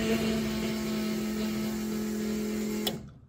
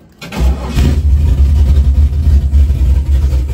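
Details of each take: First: LS-swapped Chevy S10 after rewiring, ignition switched on after two swapped wires were corrected: a steady, even electric hum that cuts off cleanly, showing normal fuel pump priming. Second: LS-swapped S10 V8 after rewiring: brief labored crank before it catches, then a deep lumpy idle; starter still sluggish, owner plans to rewire the starter.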